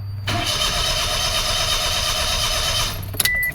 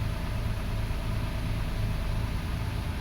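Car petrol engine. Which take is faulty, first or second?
first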